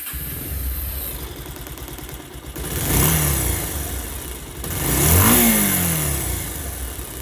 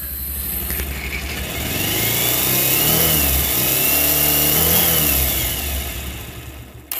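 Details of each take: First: Pulsar motorcycle engine after repair for a cracking, broken-up sound (balance weight/pinion suspected): revs twice and settles to an even, clean original whine with no knock or rattle; expected to improve further over the next few dozen km. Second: Bajaj Pulsar motorcycle already worked on by several technicians: loud harsh mechanical clatter over the exhaust that rises with rpm; engine noise suspected from the engine bearings or the balancer and weight pinion.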